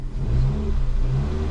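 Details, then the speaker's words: Ford Fiesta 1.25 Zetec after a misfire was cured, restarted and revved: clean, even revs rising and falling smoothly with no stumble or popping; normal revving. "wait a minute then we'll start it again ready rev no missfire we done it"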